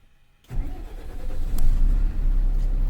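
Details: Tata BS6 4830 TK diesel truck with accelerator-pedal dropout (fault codes 1242, 428), after fitting new accelerator pedal and clearing codes: cranks and catches at once, settles into even, steady diesel clatter, no stumble.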